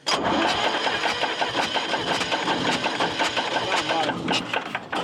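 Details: Air-cooled 3-cylinder Deutz diesel with worn rockers and wide valve gaps: steady cranking under three beats a second with soft, uneven compression strokes and no catch; compression tester shows one cylinder weak.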